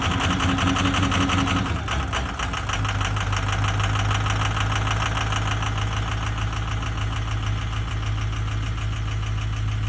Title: 6.0 ford bad injector ??